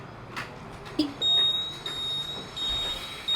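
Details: TVS Jupiter 125 scooter: high electronic beep repeating about every 0.7 seconds while the turn indicator is on; the built-in indicator reminder buzzer.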